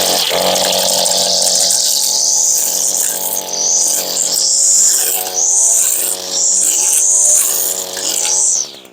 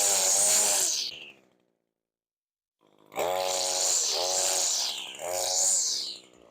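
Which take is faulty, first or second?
first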